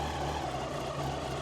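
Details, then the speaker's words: 1999 Yamaha R1, carbureted, started on choke: smooth even idle with steady low hum, no rattles, knocks or top-end noise; healthy. "this engine I can't even hear I can't I can't even hear that engine there's no rattles there's no knocks absolutely silent on this side there just no noise at all more choke"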